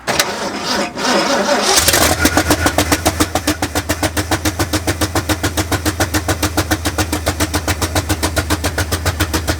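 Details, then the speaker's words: 1965 Ford F250 Camper Special with a rebuilt 352 V8: cranks, catches, then settles into a terrible lumpy chuffing idle at about 3.5 beats per second. The header tubes are being heated to see which cylinders fire. "all right good all right that's just like absolutely terrible yes all right i want to see which cylinders are firing which ones aren't"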